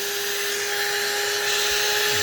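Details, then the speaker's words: La-Z-Boy SlumberAir air mattress inflation pump after fixing the faulty latch by slipping a metal piece behind the catch; steady even motor whine with airy hiss, no rattles, bed filling and the latch not popping off. "You can hear the pump running. The bed's filling up. It's not wanting to come off."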